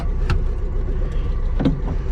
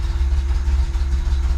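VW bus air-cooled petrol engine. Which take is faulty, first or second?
second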